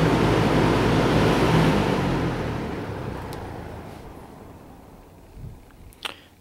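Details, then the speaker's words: Restored 1966 Lakewood Country-Aire fan, cleaned and reassembled, oil pads soaked in electric motor oil, one switch spade connector replaced. Run from low to high, then stopped: smooth airy whoosh with no rattle, even coast-down, switch clicks. Normal fan run. "So we'll hear it run. Start it off on low, work our way to high, and then stop."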